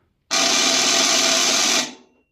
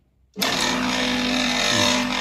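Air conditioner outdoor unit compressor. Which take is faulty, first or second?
first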